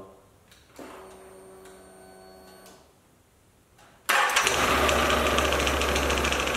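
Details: Can-Am Outlander 1000 XMR: a faint tone, then the engine catches and runs rough with a fast, fairly regular knock around 220 a minute. Something is banging around in the clutch, and the drive clutch isn't spinning fully. Cause unconfirmed.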